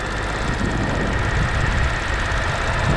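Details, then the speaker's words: 2006 BMW 650i (E64) convertible V8 during a pre-purchase inspection, some oil leaking: smooth, steady idle with an even low rumble and no knocks or ticks, engine runs and sounds good. "I mean, and it's running really, it sounds good."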